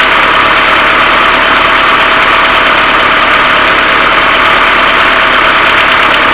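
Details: Mercedes A-Class W168 1.6 petrol, cold engine idling without throttle: fast, uneven top-end tapping plus continuous hum from the hydraulic timing chain tensioner; knocking fixed by replacing the hydraulic valve lifters.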